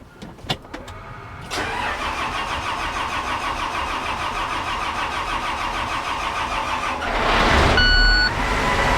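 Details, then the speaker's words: Combine diesel restarted with a jump pack after about 3 months' repair (cam roller and valve adjustment issue); starter cranks briefly, engine catches and settles into steady even idle, smoking a little, healthy. "yeah it's alive just smoking a littleit bit see like I've been waiting dang near 3 months to hear that sound again"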